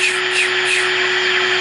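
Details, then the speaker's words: Sylvania AA5 tube radio on the bench via isolation transformer and variac, tuned to 1450 kc: a thin steady high whine over the hiss is interference from the arbitrary waveform generator on standby, not a radio fault. "that is actually coming from the standby of my arbitrary waveform generator ask me how long it took to find that one out"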